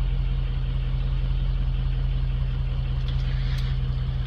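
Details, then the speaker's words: Diesel with open-circuit codes, ICP voltage monitored during start, high-pressure oil fine, injector 3 later found overfueling: long crank before firing, then steady low rough-edged rumble without audible misfire knock; hard starting, cause unconfirmed. "Had ICP too. High pressure oil was fine. Still took a minute to fire up."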